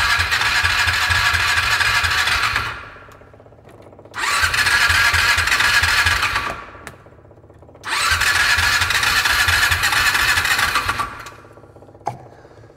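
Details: 2002 6x6 after a new air filter and starting fluid. Three long cranking bursts at an even, fast starter rhythm never fire, matching low compression from seized piston rings.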